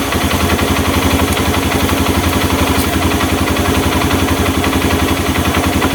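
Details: Honda Mega Pro mono single-cylinder with carburetor air screw adjusted after an air leak caused hard starting and idle dying: even idle thump about four pulses a second, steady, no hunting or stumbling; idle mixture sounds right.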